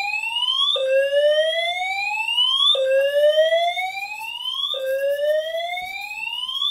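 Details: Simplex 4010 fire alarm panel test with multi-tone horns: rising sweep tone repeating about every two seconds, clean and loud with no dropouts; horns sounding correctly.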